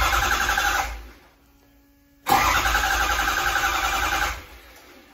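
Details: 2005-up 6.0 Powerstroke diesel (deleted, updated standpipes) cranking: two spells of fast, even cranking that never fire; no-start caused by faulty ICP sensor, not the high pressure oil pump.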